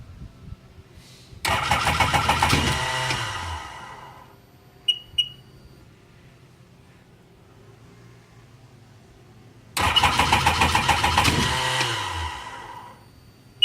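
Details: 2002 Sea-Doo GTX 4-TEC with 48 hours, SBT rebuilt engine (earlier water ingestion, rusted cylinders): two bursts of fast cranking about three turns a second with no catch, then beeps; no codes; replacing the ECU got it starting; starter bendix also missing two teeth.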